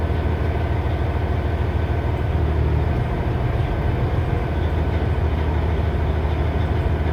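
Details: 2006 Cummins ISX CM870 heavy diesel with rough idle: deep, uneven chug that lurches rather than holding a steady beat.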